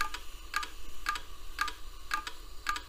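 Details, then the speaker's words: Western Digital Caviar 13.6 GB hard drive from December 1999, on bench power: sharp double clicks about twice a second with grinding over a low hum, heads stuck; not detected at POST. "all right well clearly the heads are stuck it's also making a pretty terrible grinding sound I don't know if you can hear that"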